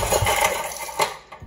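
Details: Generac 5 kW generator, 10 HP Briggs & Stratton L-head engine that normally runs well, won't start; spark tester shows spark: uneven starter churn with soft puffs that never catch. Compression issue later found, head gasket repaired.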